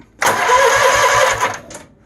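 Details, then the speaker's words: Troy Bilt GTX 20 mower with no valve train operation, after cleaning the starter and applying dry lubricant, battery reconnected: starter engages at once, quick even cranking pulses over a second; normal engagement. "I hook the battery back up over here crank the engine see I don't know if I'd the brake on but there you can hear it engaging well"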